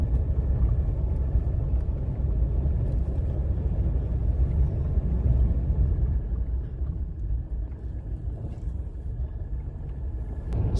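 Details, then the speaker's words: 2018 Ram 1500 EcoDiesel, test drive over a rough gravel drive after replacing the driver inner tie rod and a front sway bar frame bushing; the complaint was a rattle over bumps. Steady tire rumble, no clunks or rattles, only the keys hitting. "It's a dip, actually. Not really a bump, but heard the keys hit right there. But that's all I heard."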